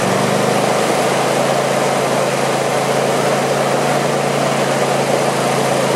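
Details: Craftsman YT4000 lawn tractor twin, sat in a barn for years: smooth, even idle with steady low drone, no knocks, misses or rattles; deck vibration, blades probably to be sharpened and balanced. Normal idle.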